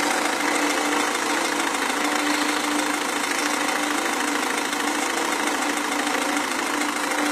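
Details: Renault Megane 1.5 dCi diesel idling: steady idle with a loose knock about three times a second over a hard rattly clatter; engine knocking noise, source not identified.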